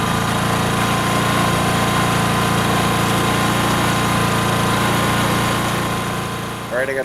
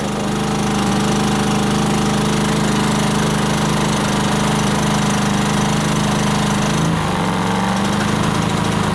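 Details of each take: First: Briggs & Stratton P2200 generator restarted after overloading, now running about 500 watts: steady, even engine drone with a firm low hum and no surging or misfire; runs healthy under moderate load. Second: Briggs & Stratton P2200 generator running a dehumidifier, with the heater switched from low to high and LED lights flickering: the drone labours, sags and cuts out about seven seconds in. It was overloaded past its output limit and stalled.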